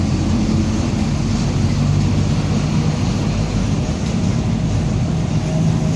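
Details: 2007 Marcopolo Torino city bus on Mercedes-Benz OF-1722M chassis: low droning growl steady under the diesel while rolling, pitch wavering with road speed; differential suspected worn, not confirmed.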